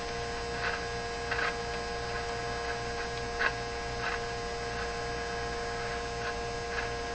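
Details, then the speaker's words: 1957 Chevy Model 561 car radio on bench: constant steady speaker buzz with faint crackles; owner suspects the clipped-on capacitor, cause unconfirmed. "okay too bad we have to listen to that too just definitely uh buzzing that speaker oh it's probably because i have uh why why why why would that be"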